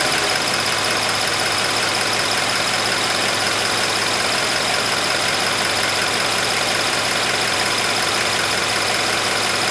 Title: Subaru BRZ High Pressure Fuel Pump Chirping Noise at Idle.